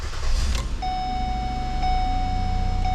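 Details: 2008 Ford Escape after the faulty ignition lock cylinder housing was replaced with a Dorman 989-019: a brief crank catches immediately and settles into a smooth idle under a steady chime, with no clicking or grinding. It now starts normally.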